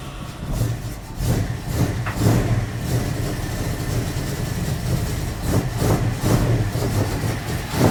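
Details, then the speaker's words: Magnum 5.9L V8 in a 1980 Dodge W200, Holley 600 cfm carb with 65 jets and 9.5 power valve, cold start with choke wired open: uneven, lumpy idle with surges and stumbles; running super rich from oversized jets, to be swapped for 64s. "what in the world was super rich I going put 64s in I'll put 64s in now we'll put it back together try it and see I think that is going to be one of the that's that's why it ran so bad those jets are huge look at them"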